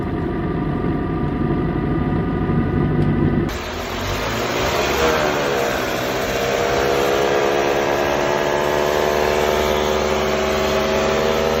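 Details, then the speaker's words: Manual gearbox with engine idling in neutral: steady idle with a constant tone riding over it; suspected damaged internal bearing on the shafts turning in neutral, not confirmed. "neutral podría ser que un Valero interno esté dañado los entos que pueden estar dañados son los que se están moviendo cuando la caja esté neutral"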